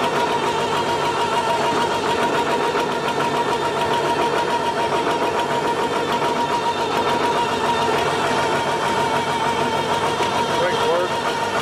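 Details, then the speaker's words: Old diesel tractor with a 1066 transmission housing and a brand new MCV pump, just started at rough idle: thin steady high whine holding pitch; suspected MCV pump gear pitch mismatch with the housing, not confirmed. "that's gonna give her a drive you hear that wine that's the mcv we think because this tractor's got a 10-66 trans housing the gears are the same but there's different pitch on them that's why it's making all that noise cause we've got a brand new mcv pump on it"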